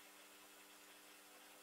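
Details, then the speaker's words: A model locomotive motor stalls and hums steadily under faint hiss when a deliberately replicated short at the O gauge layout's point frog wiring occurs; part of the power goes through the motor while the controller's output transistor takes most and heats up. "humming and what happens what happens here is because the loco is doing the well has actuated the short some of the power is going through the motor but the controller being cleverly designed 99 of that power is again going through the output transistor which is getting hot again"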